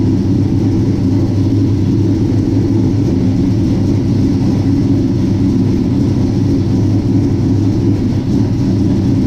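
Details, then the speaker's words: 1967 Chevy C10 with a Holley Sniper fuel system, first start after coming off jack stands and a transmission filter and gasket change. It starts and idles with a deep, even V8 rumble, no misses or knocks; it popped on first start and is low on transmission fluid. "Man, that thing starts good and sounds good running."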